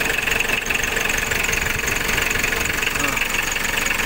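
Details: Diesel engine started cold just after a full engine overhaul, with injectors and a pump seal redone: a rapid, fairly even tick of about four a second over a rough idle. Ticking source not yet identified.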